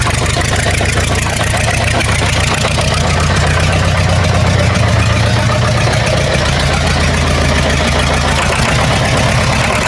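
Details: War Department roustabout crane on an International tractor, unrun for 35 years, running on its own diesel despite an injector line leak. Even, steady low chugging with a regular firing beat and no misses or knocks; runs smoothly.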